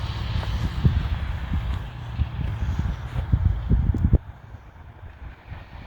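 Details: 1998 Yamaha Warrior quad after its loose spark plug was replaced with the correct tightened NGK. Ridden on ice with wind buffeting, the single picks up and drops off cleanly with no knocks or misses. Normal healthy running.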